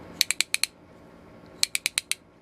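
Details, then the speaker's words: Restored 1890s T-handle ratchet brace after pawl spring reinstalled: two crisp runs of five evenly spaced metallic clicks, about ten per second; pawl engages cleanly, normal ratcheting. "That's cool. Oh yeah. That's the sound you want to hear right there."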